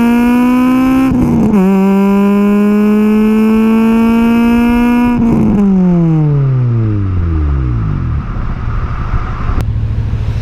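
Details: Honda K20A2, first drive, revved to 8,000 rpm through first to third: clean exhaust note climbs steadily through gears with crisp shifts, winds down smoothly, no knocks or misses; possible O2 sensor or relay fault noted; normal revving.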